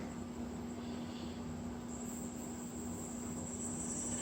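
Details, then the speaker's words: Solectria AMC325 motor controller after repair (melted contactor swapped, new fuse, transformer ferrite core replaced), in gear under light throttle: steady low hum with faint electronic whine, running smooth. "nice and smooth."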